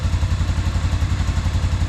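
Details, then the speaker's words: 1997 Arctic Cat Bearcat 454 ATV, sat 1.5 years, after carburetor repair, choked by hand: started easily with little cranking, then quick even low thumping idle, no misses, knocks or hunting; runs cleanly. "Started fairly easy. Barely cranked it before it fired up."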